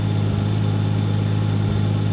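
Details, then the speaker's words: Nissan 240SX with RB25 swap on test drive after ignition repairs and new coil pack install: idle drones steadily but stumbles with an occasional skipped beat, a slight misfire at idle; owner suspects sticky injector, fuel issue or boost leak, unconfirmed. "have a sticky injector but it seems like I have a slight Miss interesting fuel related or what I have a boost leak or something interesting going we go idle down yeah yeah seems like it's got a miss"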